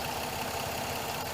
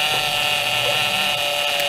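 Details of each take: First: 2007 Pontiac G6 at idle after replacing the leaking high-pressure power steering hose and bleeding air from the fluid: smooth steady idle with no pump whine or groan; pump running quiet and healthy. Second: 2007 Pontiac G6 after high-pressure power steering hose replacement, fluid not low but full of air: steady high whine over the running engine; aerated power steering pump, fluid foamy, improving as it runs.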